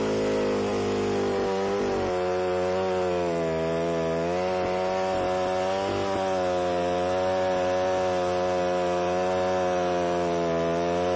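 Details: Alpine Magnum trenching machine cutting a trench in passes down to 8 to 10 inches deep; high buzzing engine note sags and recovers; engine bogging under load.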